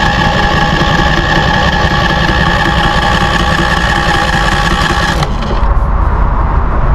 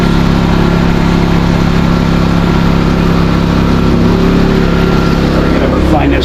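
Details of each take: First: New Westinghouse iGen4000DFc dual-fuel 4000 W peak generator on its first start: the starter whirs for about five seconds without catching because the fuel selector was left on propane instead of gasoline. Fixed by switching to gas. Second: New Westinghouse iGen4000DFc dual-fuel generator, first run out of the box, powering an air compressor at about 1400–1700 W and 122 V: loud but even, steady pitch, no hunting, a bit louder than expected. Healthy under load.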